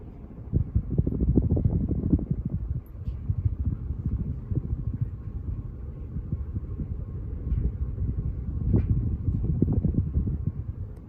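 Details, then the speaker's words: 52-inch antique brass Emerson Northwind Designer ceiling fan, likely late 80s or early 90s, salvaged from a dumpster, running on high speed. Steady low motor whir with a soft airy rush, no knocks or rattles; normal motor noise. "Okay, let's take it up to high speed. Here we go. Yeah, in high speed you can really hear the motor, but like I said, that's completely normal."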